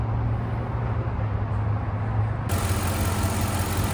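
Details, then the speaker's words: 2003 Chevrolet Suburban after a parking-lot repair of a broken plastic heater hose fitting that caused overheating (gauge crept to 260), restarted after cooling down: steady, smooth, even idle with no knocks or ticks; normal idle. "All right, it's running again. It has cooled down. It is about 1:30. So, yeah, seems to be running fine."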